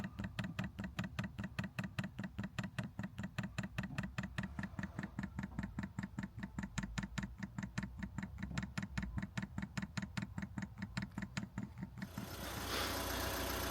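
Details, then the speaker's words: 5kW Chinese diesel heater in a VW Caddy, Jackery 1000 v2 power, dosing pump pushing diesel through a line with lots of air: sharp regular ticks about 2.5 per second, then fan rushes in; the Jackery later proves too weak to run it. "It's just pumping itself through, I believe. Got a lot of air in it. A lot of air."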